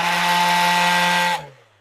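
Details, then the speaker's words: Craftsman V20 cordless random orbital sander: harsh, gritty whirring buzz that stops abruptly after about a second; abnormal grinding noise, also present on a replacement unit, cause unknown. "this and that is not normal that grinding noise isn't I've switched it out two times"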